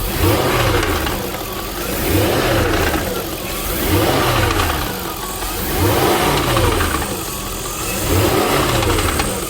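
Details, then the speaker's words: 1999 Jaguar XK8 convertible, 195,000 km, timing chains and tensioners replaced 100,000 km ago: engine blipped every two seconds, light metallic rattle as revs fall on deceleration, seemingly from back of engine; source unconfirmed. "I bought it a little bit concerned what that rattle is on De acceleration sounds like it's coming from the back of the engine um it it could be timing chains"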